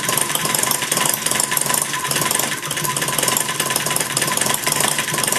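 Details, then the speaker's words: Maier TA4 after tuneup, warm, idling low with the flywheel carrying it through: quick, even firing pulses, no misses, over a light buzzy rattle, firing every time; normal idle. "a nice little idol there you know it's running real uh firing every time"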